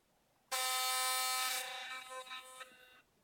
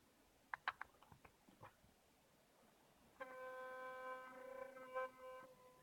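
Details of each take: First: Philips Sonicare DiamondClean brush head: loud harsh rattling buzz as the metal ring comes loose and vibrates in the plastic casing; fix is a drop of super glue. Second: Philips Sonicare DiamondClean electric toothbrush after gluing loose ring in brush head: a few handling clicks, then clean steady hum with no rattle or buzz; normal running.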